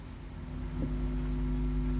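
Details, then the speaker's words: Power amplifier with no input connected and lying on the table hums steadily with buzzy overtones; the hum vanishes when lifted away, because the unshielded input wiring picks up ground noise; shielded input cable is needed. "Tuh, dengar, ya. Ada suara dengung. Ketika diangkat, dijauhkan dari meja, dia hilang."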